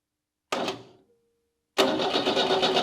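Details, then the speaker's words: Renault 4 police car cranked by a remote starter button, not in gear, ignition wired to turn the engine over only; short burst, pause, then steady even cranking with no grinding; engine spins freely, normal cranking. "yeah that sounds just fine"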